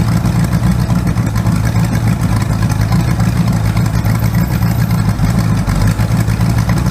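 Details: Rebuilt 408 small-block Chevy on an engine run stand, open headers, 20° initial timing, old used plugs: loud V8 with a lumpy, uneven beat and a skipping pulse as the number one cylinder misfires on a bad plug.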